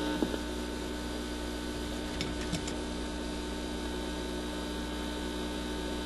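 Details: Admiral suitcase record player after installing a new replacement cartridge and reconnecting the wires; steady low buzz with even overtones and a couple of faint clicks: mains hum coming through the amplifier.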